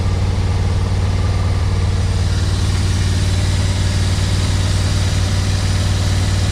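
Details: 1991 Yamaha Venture Royale after revival and warm-up, choke off: deep steady idle with even low beat; revs up fine so carbs seemingly not too dirty; normal idle.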